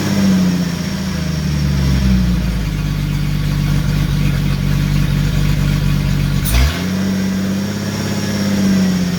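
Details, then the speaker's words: Jeep YJ with a 4.2-to-4.0 engine swap (AX15 transmission, 231 transfer case) on its first start. Loud, steady exhaust drone with one blip, O2 sensor unplugged. Idle sounds somewhat high, but the loud exhaust makes it hard to judge; high idle only suspected. "Think we might be suffering from a little bit of a high idle. I don't know though. Sounds like it. It's hard to tell though because the exhaust is loud as [ __ ]"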